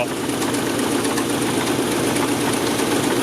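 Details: LS-swapped Nissan S14 on a chassis dyno with a new AEM Infinity 708 ECU: a loud V8 running hard on the rollers with rapid hard knocking under the exhaust roar, rod knock from a blocked oil passage.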